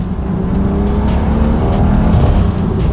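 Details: Big-turbo BMW 435i, not yet properly tuned, after the shop removed and refitted parts: strong, smooth pull with a rising engine note and no ticking from the exhaust side; manifold sealed, engine healthy and throttle response now very sharp.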